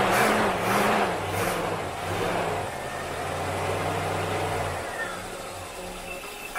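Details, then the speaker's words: Rambler, hard to start, given starter fluid, accelerator linkage suspected not opening fully; engine catches and revs unevenly, wavering and stumbling; running rough, cause not confirmed. "she sounds rough she probably needs to be having a goodly bet"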